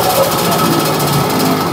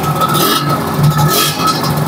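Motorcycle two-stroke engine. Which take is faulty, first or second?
first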